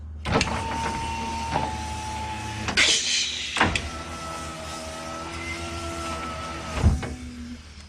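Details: Nissan Figaro power window after replacing the failed slow motor with a 300ZX window motor: brief smooth motor whirs with a clean steady hum and soft stop at end of travel; window runs normally.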